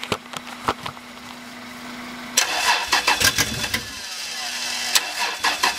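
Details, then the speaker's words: 1994 Toyota 4Runner 5VZ-FE 3.4L, first start attempts after rewiring and refitting the tank: uneven cranking chugs that nearly catch, then die. The owner suspects fuel starvation. No start. "Yeah well yeah but uh yeah I don't think she's getting enough fuel now"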